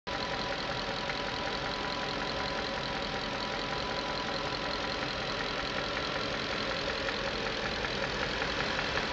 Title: 94 Q45 valve and timing chain noise